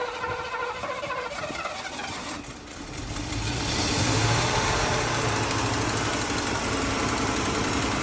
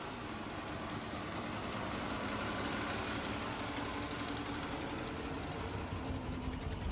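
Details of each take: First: Mercedes W126 380SEL petrol V8 started after sitting 15 years, running on gasoline poured in because the fuel tank is removed; it catches and settles into a steady, even idle with no knocking and good oil pressure. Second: Mercedes W126 380SEL V8, sat 15 years, run on external fuel source with no tank, idles with slightly uneven beat: slight misfire, no knocking, oil pressure present.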